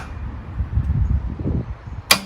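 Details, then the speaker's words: 1979 BMW R80/7 motorcycle, 43 years old, after sitting, substitute battery fitted, clutch pulled in; single sharp click with no cranking; solenoid engages but starter motor seems stuck or failed. "I'll pull in the clutch still nothing sounds like the solenoid starting"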